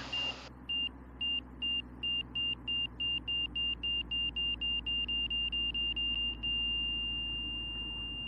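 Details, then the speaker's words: Van's RV-6 with Garmin G3X Touch in a turning stall at about 68 mph; high beeps start about twice a second, speed up, then merge into a steady tone: the angle-of-attack stall warning at the same AoA as wings-level. "was a stall at about 68 miles an hour but again the same angle of attack"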